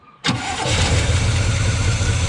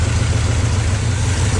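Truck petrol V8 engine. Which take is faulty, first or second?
first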